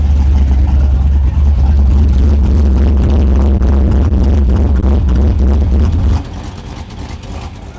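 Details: 2011 Chevy Silverado V8 after new cam install and head gasket repair: deep, loping lumpy idle with uneven chop about three beats a second, quieter once the exhaust valve is shut by hand; healthy cammed V8.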